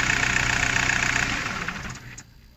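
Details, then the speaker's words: VW Golf 4 diesel after repairing a broken wire causing vibration and stumbling: idles evenly, then winds down and stops cleanly within about a second when switched off; normal. "ها هي دابا راه خدامه مزيان، حيت هي كيما قلنا كتخدم في التسكات."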